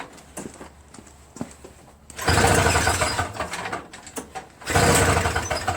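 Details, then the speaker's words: Toro Snow Commander 7HP R-Tek 24" single-stage snowblower, previously no spark and wouldn't start; spark returned by itself, plug reinstalled without magneto replacement: pull-cord rattles, then the single-cylinder engine fires, bursts and runs with steady chatter; normal start. "I guess the good news is that I don't have to remove it now you know it was working the whole time"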